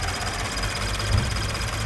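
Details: Toyota GT86 with Subaru FA20 engine at idle: fast, even, sewing-machine-like cricket ticking from the high pressure fuel pump, attributed to high-alcohol fuel (Shell V-Power Nitro+) leaving a pump metal washer poorly lubricated.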